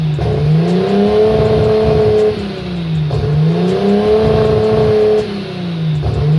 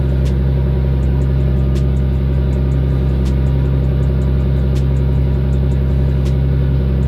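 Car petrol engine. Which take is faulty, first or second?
first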